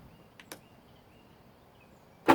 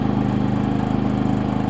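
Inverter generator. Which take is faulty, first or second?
first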